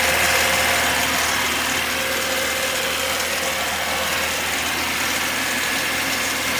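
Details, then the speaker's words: VAZ (Lada) petrol engine, fully cold start with choke: regular knock about four a second from the front; owner thought valves since it fades when warm, found worn auxiliary shaft (oil pump drive) pulley with excess play. "Двигатель не прогрет, но вот сейчас этот стук явно слышен. Может быть клапан, потому что когда прогревается, вроде бы проходит."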